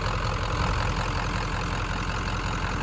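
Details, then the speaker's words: 1996 Ford F-250 7.3L diesel, warm, after disconnecting a burned, stuck-closed glow plug relay; steady even diesel clatter at warm idle with no misses or stumbles; running smoothly. "Well, that'll get me home."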